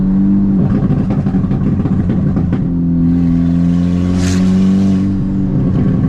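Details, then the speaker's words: VW GTI with an aluminum no-runner intake manifold, on a test drive after the misfire was fixed: it pulls cleanly with an even rising note and clean shifts, with no misfire or slipping, though the shifts feel slightly aggressive. "And things were running great. I had absolutely no misfires, no transmission slipping. Um, I really had no issues. The car ran fine."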